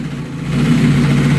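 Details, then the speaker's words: 1970 Opel GT with the 2.4L Motronic fuel injection just reinstalled: returnless fuel pump primes, then the engine catches within half a second and settles to a steady, even idle. A clean start; a small noise up front possibly from the alternator. "it started right up"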